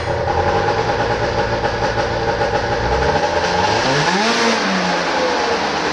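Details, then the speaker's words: 1995 Arctic Cat ZR 580 snowmobile two-stroke started up after carburetor troubleshooting: strong, even idle, then climbs smoothly on a quick throttle blip and drops back; running cleanly, normal. "now for the big moment the starting off of this beautiful 1995 articast xavier 580 and believe me it sounds like a beast"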